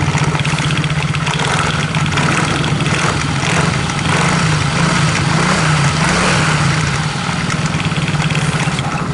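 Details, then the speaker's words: Yamaha X-Ride scooter at idle, before teardown: a dull, uneven knocking churning from the CVT, and the rear wheel turns without throttle. Cause: worn boss rubber. "Oke teman-teman, jadi penyakitnya seperti ini. Suaranya pun godok-godok seperti itu di bagian CVT."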